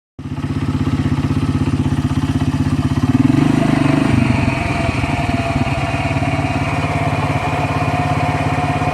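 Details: ATV idles with a dry rustling whir (shuršanie) over the engine beat from its CVT (variator), a sound not heard before.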